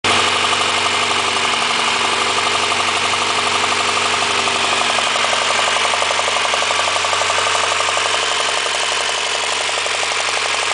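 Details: Honda engine at steady idle with a sharp, fairly regular tapping about three per second; owner asks whether it is rod knock, a possible bottom-end knock.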